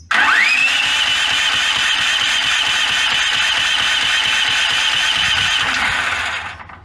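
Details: Brand-new Duromax 13000 generator running on propane, backfiring since out of the box, with its electronic choke stepper motor hunting: rising whine at start, then uneven low thumps near 3.5 per second; it struggles and backfires and won't idle.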